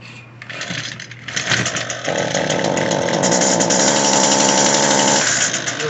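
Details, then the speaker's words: Echo SRM-225 two-stroke trimmer buzzes up but won't reach full revs, stalling at a flat choked pitch, little exhaust flow, sound echoing on the carburetor side; clogged muffler. "hey guys today we've got uh uh echo srm 225 that won't throttle up all the way it's very common issue on two-stroke equipment um it's clogged muffler"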